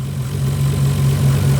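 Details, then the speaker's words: Nissan Skyline R32 GT-R twin-turbo forged RB26DETT on the dyno, checked for a suspected misfire, radiator hot; deep, even idle rumble with steady pulse, no skips or ticks, no misfire found. "Yeah, I can see it. That's what makes it go wop, wop, wop, wop, wop, yeah. Great success. There's no misfire there."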